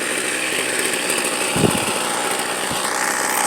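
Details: Gas string trimmer about two years old, started after priming and five pulls with old fuel left in; steady high two-stroke buzz with no stumbling or misses, running fine.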